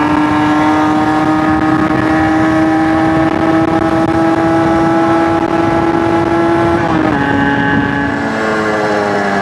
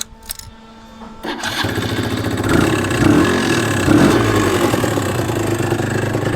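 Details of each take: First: Suzuki RG125 two-stroke with fresh top end, on test ride: clean drone climbing smoothly with speed, brief dip at gear change, pulling without stutter; rides much better, main jet may go up from 195. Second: Suzuki RG125 two-stroke with fresh top end, lacking power and not revving through properly: idles after a ragged start with a loose uneven rattle, bottom end noisier than it should be; oil pump setting found misaligned.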